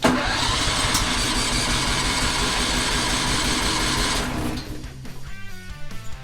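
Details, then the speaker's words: 2001 "314" engine cranking steadily for over four seconds without catching, then stopping. Slow to start; the owner suspects it lost prime. "let's see we're going to probably have to crank this one quite a"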